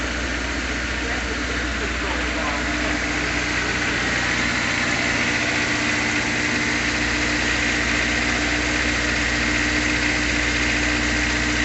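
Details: 2005 Honda S2000 (F22C), 21,000 miles, garage-kept, first start after sitting a year: steady, even idle with a smooth hum and no knocks, misses or hunting; healthy.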